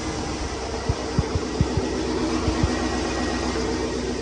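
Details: Chevy LS 5.3 Silverado V8 that had a worsening squeak, first thought to be a lifter and then suspected to be a cracked flexplate, idling after reassembly: a steady, even idle with a few soft low thumps early on and no squeak or ticking; healthy.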